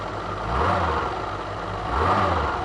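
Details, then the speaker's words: Renault Alpine V6 Turbo (PRV V6) after long abandonment, run off a Leaf lithium-ion battery at slightly higher voltage, after replacing a stuck injector: steady idle with two smooth throttle blips, no stumble. Normal idle and revving. "Engine थोड़ा अधिक वोल्टेज पर चल रहा है। इंजन बढ़िया चल रहा है क्योंकि मैंने पिछले दिनों इंजेक्टर बदल दिया है।"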